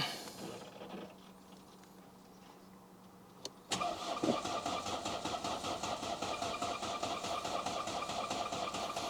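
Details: Mercedes C-Class engine just refitted, first start attempt after fuel priming, fuel not yet reaching injectors; labored steady cranking about two and a half beats a second without catching, battery weak and being swapped for a spare.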